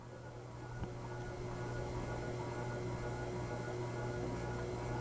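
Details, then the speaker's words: Con Tech industrial ceiling fan with cast iron motor, on a solid-state speed control at low speed: low, steady mains-pitched hum with a light buzz under the airflow; mild, acceptable motor hum. "I hear a little bit of hum and buzz, but it's not really bad. It's really not bad. It's not really loud, so it's okay on a solid state."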